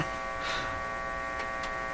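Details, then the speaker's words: Philco 38-C7 tube radio during alignment: steady, low buzzing mains hum holding constant; mains hum getting into the audio. "so the hum is only there when I hook up something here uh it's unexpected to me"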